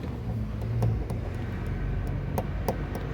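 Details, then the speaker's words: Fiat Cronos door, panel removed, rattling over potholes while driving: sharp irregular metallic clicks over a low rumble as the door is shaken. Loose window regulator; fixed by retightening its bolts. "e o barulho galera esse barulho aí chato adivinha o que é galera já achei aqui ó está solto"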